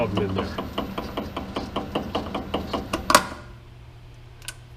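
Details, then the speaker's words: South Bend 8x18 variable-speed lathe (possibly model 1001), newly acquired: steady knock about four a second over the running spindle until it stops; spindle problem. "currently right now there's a problem with the spindle let's it's variable-speed"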